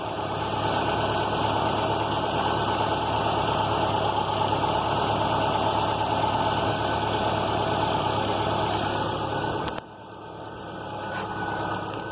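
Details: Subaru Outback EJ engine, high mileage, ran low on oil (5W-30 used): rough rapid knock when held on throttle near 2,500 rpm, worse when driving; rod knock suspected, others think tensioner, unconfirmed.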